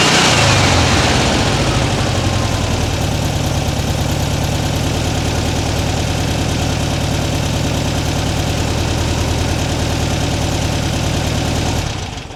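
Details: 1979 fuel-injected US-spec Super Beetle, warm idle and revs after its rusted original exhaust was replaced with a stainless Vintage Speed system, microphone at the bumper: a steady, even air-cooled putter with no leaks or rattles. Insulation is smoking off.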